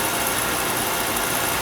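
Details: Oil burner on no-heat callback, drawer assembly refitted after it hit the electrodes and stopped sparking: steady even flame roar, no pulsing, sputtering or rumble; burner lit and running cleanly.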